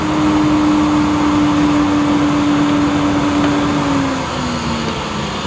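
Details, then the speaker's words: Bosch Perfecta 83 vacuum on full 1400 W power, suction gauge reading nearly 100 inches water lift: steady, even high motor whine holding one pitch, dipping slightly near the end; normal running at full power. "So quite a similar result to the Tristar on maximum, but considering the Tristar uses nearly half of the electricity, I think that's pretty efficient."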